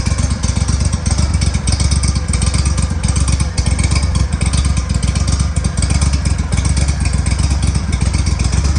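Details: Boat engine running after power trim pump (found with metal inside, would not trim up) repair and exhaust leak fix: deep, steady exhaust pulses with an even beat and no puffing or ticking from the manifolds; engine runs clean and sealed.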